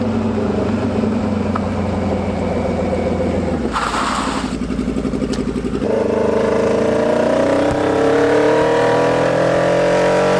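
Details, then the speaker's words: Hayabusa-swapped 1970s electric CitiCar (11,500 rpm redline, about 155 hp), first drive under load: engine drones but pulls flat and lumpy with no power despite cleaned injectors, new plugs and fuel pump. "yeah guys this thing just has no power for some reason I mean I did everything I cleaned injectors I changed the spark plugs I put a brand new fuel pump in"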